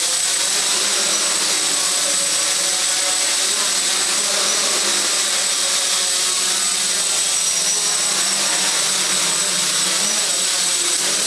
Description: This test provided some information about the Aeolian motors, their bearings are in bad condition, since I had to overcompensate the rudder and some high pitch noises were present